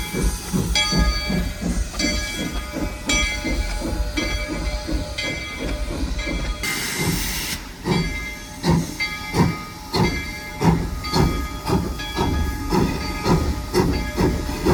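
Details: SoundTraxx-equipped model steam locomotive at speed step 15 with dynamic exhaust: evenly spaced chuffs, four per wheel revolution, with brief steam hiss; normal exhaust beat.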